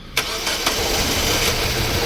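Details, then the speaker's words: Mazda 3 1.6 16V petrol on LPG, 256,000 km, five-speed manual, after a night below −20 °C. One brief crank, instant start, steady idle. Easy cold start; AC compressor pulley failing, slight idle misfire suspected. "Dzisiaj po tych mrozach nocnych zapalił na dotyk bez żadnego kłopotu."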